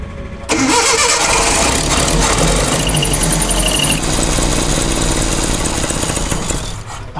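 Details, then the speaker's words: Datsun pickup with freshly rebuilt engine, distributor moved and timing maxed out one way: it catches sharply, runs rough and uneven for several seconds, then sags and dies; engine stalls after starting, ignition timing off. "Oh, why does it keep dying? Close. I'm maxed on the. Well, if you're maxed out on timing one way, that means something's wrong."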